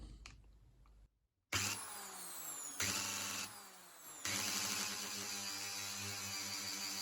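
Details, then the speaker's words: Bosch AHS 40-24 hedge trimmer, bare motor started directly with a screwdriver bypassing the safety switch to rule out electrical fault: spins up in bursts to a steady high whine, even tone, no knocking, tiny bit of brush sparking; motor works, fault is mechanical. "Okay, so it does work. There's a tiny bit of sparking."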